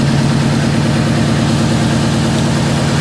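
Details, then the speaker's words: 2009 Subaru WRX after EJ255 to JDM EJ205 swap, VVT solenoids unplugged, warming up: uneven, lumpy idle with a dull pulsing miss and raw fuel smell despite new plugs, injectors, swapped coil packs and good compression; misfire. "this what it does when it warm starts to warm up all you smell is raw gas and it [Applause] misfi"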